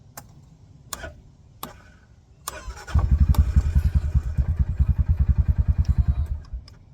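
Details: Massimo T-Boss UTV after installing a wireless remote battery disconnect: a few sharp relay clicks as the switch turns on, then cranking and a steady, even low thumping idle; starts and runs normally.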